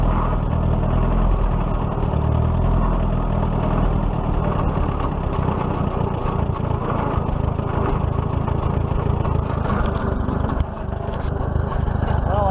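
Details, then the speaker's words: 1941 Case SC tractor engine after governor repair: a deep, even rumble with no hunting or surging. It runs much better, picks up going uphill and no longer bogs down. "have to say it runs much much better you guys can hear that dump him pickup when we go up the hill"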